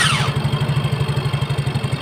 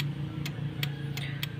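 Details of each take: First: Yamaha Mio J scooter after its starter motor (dinamo starter) was replaced: fast, even cranking pulses at about nine a second for two seconds, then the starter stops; a healthy crank. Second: Yamaha Mio J scooter starter giving five sharp dry clicks with no cranking, starter motor not turning; starter relay or starter motor (dinamo) suspected, voltage checked at the big red cable to the starter.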